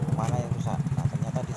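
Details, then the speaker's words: Honda automatic scooter, rough noise from the left CVT side, CVT cover open, drive turned by hand without the pulley: rough, rapid, gritty rumbling pulses from a worn final drive (gearbox) bearing. "sudah kita putar itu kerusakan ada di bagian bearing gardannya ya teman-teman"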